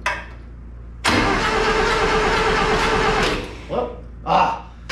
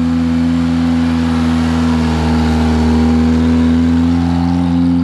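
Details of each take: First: Long-sitting Satoh S-550G tractor, 4-cylinder gas engine, cranks slowly and unevenly for a couple of seconds but never fires; the choke had been left unhooked. Turns over but won't start. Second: Long-forgotten Satoh S-550G tractor with a 4-cylinder gas engine, just restarted indoors on a 100-degree day after briefly smoking. It has a homemade leather accelerator pump. The engine runs steady and even, then revs rise and fall smoothly, sounding healthy.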